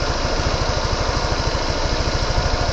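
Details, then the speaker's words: Water-cooled single-cylinder motorcycle idling at about 190°F after a Tusk fan install to cure overheating: even idle thump with a light steady whir as the radiator fan kicks in and runs normally. "Here we go, everybody. No fan. What is going on there? Oh, there it goes."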